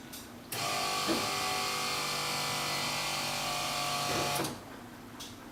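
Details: Steady whirring crank for about four seconds with no firing; owner thinks he hears the fuel pump after reconnecting a loose wire, but air puffs out at the fuel check, so owner suspects air is stopping fuel reaching the engine and it needs priming.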